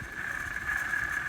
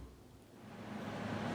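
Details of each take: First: LG air conditioner old fan/blower motor, removed for replacement and compared with new one; steady, high, slightly wavering whine with rough edge underneath; worn fan motor bearings. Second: LG air conditioner after fan/blower motor replacement, unit reassembled and powered on; soft, even fan rush builds then settles into a low steady hum with no rubbing or bearing growl, blower runs normally.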